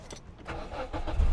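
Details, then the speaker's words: Car at an auction with 45,000 miles, started for inspection: the diesel catches and settles into a low, steady rumble, with keys jangling; it sounds healthy, with no knocks or rattles. "Listen to that. That sounds really nice."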